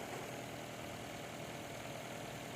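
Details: 2.5L Nissan Altima Hybrid in inspection mode after replacing faulty ignition coil causing P0303 cylinder 3 misfire and clearing codes: petrol engine idles smoothly and evenly with no stumble. Normal idle.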